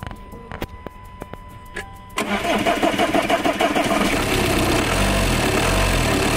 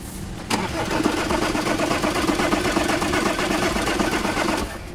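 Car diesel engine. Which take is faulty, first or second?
second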